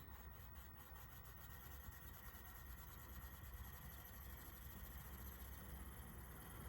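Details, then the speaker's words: Dapol class 59 model locomotive, slow standing start at speed step 1 hauling heavy load up about 1 in 50 on radius 5 curve: constant raspy whirr with fast ticking, very noisy drive under load; may be this model only. "And as you can see, it is moving it forward. Albeit phenomenally noisily. This one is very, very noisy."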